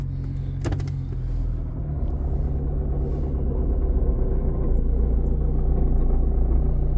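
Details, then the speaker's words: 2010 Nissan Cube, 230,000 miles, brought in limp mode, at idle: single heavy clunk when shifted into gear, then steady low idle rumble; engine shifts as it goes into gear, motor mount suspected, not confirmed; no engine knocking. "You guys hear that? I really think that's the motor mount because it does shift in the gear."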